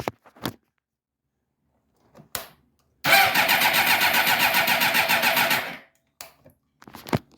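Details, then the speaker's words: 2007 Suzuki GSXR 600 project bike: about three seconds of steady starter cranking with even compression pulses, close to starting but never catching; owner suspects fuel pump. "it's super close to starting but it's not fully grabbing so it might be something with the fuel pump"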